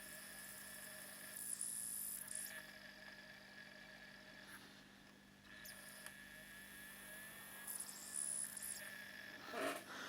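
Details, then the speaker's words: Sega Saturn optical drive after spindle height adjustment: quiet repeated whirring, chirping seeks and small clicks, never settling; worn laser can't read the disc, fixed by swapping the laser. "But I can also hear the laser struggling to read that. It's really struggling."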